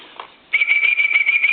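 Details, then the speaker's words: Coca-Cola animated polar bear telephone, initial checkout before repair: a high, steady whistle pulses several times a second in the earpiece with no dial tone, no dialing and no transmit; line circuit faulty. "just makes a real funny electrical noise and kind of a pulsating electrical noise and i'm going to try to dial and i'm not getting any kind of a any kind of a dial out of it and i don't get any tone"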